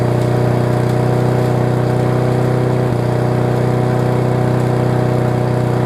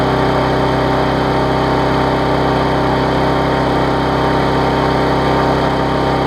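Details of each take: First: Circa-1999 Yard Machines push mower, running loud single-cylinder drone with a faint stumble, possibly too much fuel; owner suspects bad carb diaphragm, later replaced along with air filter; rough running. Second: Yard Machines mower after tune-up (auto-throttle unbent, carb diaphragm, air filter, oil change, blade sharpened), possibly flooded from tipping: steady clean buzzing drone, no surging, burning off excess fuel with some raw exhaust; normal running.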